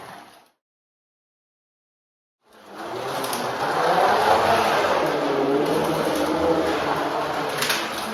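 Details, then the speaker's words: Carrera 1/32 slot car after truing the wheel for polyurethane tires, previously growly: brief silence then a smooth, even whir with no growl or rough rumble; running cleanly after repair. "So we'll see what it sounds like now. Way better. Way better."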